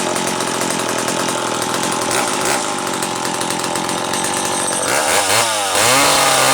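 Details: McCulloch Pro Mac 700 chainsaw after new fuel hose and fuel filter (carb not rebuilt): high buzzing two-stroke idles evenly, revs cleanly up and down without bogging; running normally.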